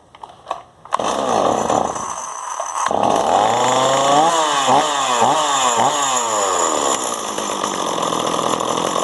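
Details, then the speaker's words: Stihl 026 chainsaw after carburetor cleaning and high/low screw retune, restarted after 15 minutes cooling: fires on first pulls, blips through a few quick rising revs, then settles into a steady, even idle without stalling. "i'm going to wait a few minutes and start it up again just make sure it idles properly and i think we got it fixed"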